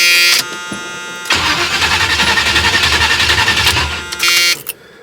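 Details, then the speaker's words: 1978 Chevrolet Malibu Classic V8 restarted hot after sitting, needing some throttle: starter churns unevenly about 3.5 pulses a second, slow to catch; hard hot start, mechanic suspects timing adjustment or carburetor slightly flooding. "So I actually have to kind of press the gas a little bit and kind of, another thing is the carburetor could be almost starting to flood just a little bit."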